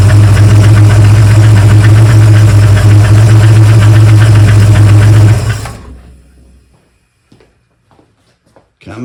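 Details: 1971 Mercury Comet GT engine running with the driver's valve cover off: loud, steady run with a fast, even clack about four per second, then shut off; noise seems to come from the front, worse cold; source unknown.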